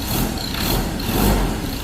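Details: Ford 2.0 bi-turbo diesel, 150,000 km, after injector repair (third attempt) and fuel bleeding: warm diesel clatter runs smooth and even at idle, no stumble or hunting; normal idle.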